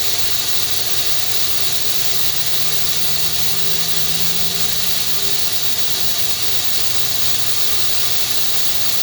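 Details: FH680 machine spindle after cable replacement, mic near the rear: steady hiss with a faint low squeal rising and fading mid-run; abnormal noise, rear bearing suspected.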